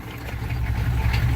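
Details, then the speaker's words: 6.5 diesel started on a manual glow plug controller set to about 10 seconds. It starts easily, then settles into a lumpy idle missing on at least one cylinder, with tailpipe smoke and exhaust pressure. Suspected water in a cylinder; the cause proved to be a blown head gasket, cracked heads and a cracked block. "it's missing on at least one cylinder right here this is part of the rock immediately also got smoke coming out of the tailpipe"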